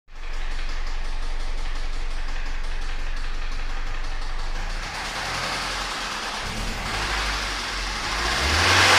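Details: 2005 Toyota Corolla XLi after head machining, sleeve for holed piston and broken VVT phaser pulley pin replaced, timing chain set correctly, water in oil earlier: non-uniform, oscillating low knock about four per second, wavering in strength as revs climb; suspected rod bearing.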